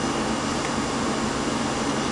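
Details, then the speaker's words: Carburetor being troubleshot (Holley 1904): a steady, even engine hum at a raised idle, which seemed to be the throttle valve set wrong but is the fast idle still engaged. "See, there's an example of the throttle valve not being right. And it is not, oh, I see. Fast idle's on, okay."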